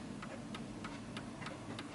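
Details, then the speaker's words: 1940s Hermle (FHS) 8-day chiming clock after beat adjustment, pendulum eased left/right until in beat: crisp, evenly spaced ticks about three a second. "and again you might struggle a little bit you might need to ease it to the left to the right just so you can hear the perfect ticking sound"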